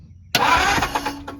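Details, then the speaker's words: 1949 Ford shoebox, brief starter whir under a second that never fires: the crank no-start is from no power to the ignition, with no spark. Fuses unknown. "okay no power I have nothing here that's why she wouldn't start"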